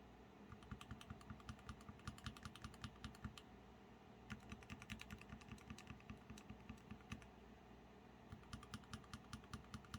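Quick uneven keystrokes, roughly two or three a second, each a soft muted clack with no scratch or ping; smooth, well-lubed linear switches.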